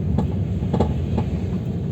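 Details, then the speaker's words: Chevrolet Aveo T300 driving over bumps: sharp hollow clunks from rear left over road rumble, fine on smooth asphalt; rear left shock absorber's top nut had unscrewed, strut wobbling. "Ребят, короче, еду по кочкам и слышен стук. Сейчас по асфальту я еду, вроде все нормально. Но видите, чуть малейшая кочка стучит."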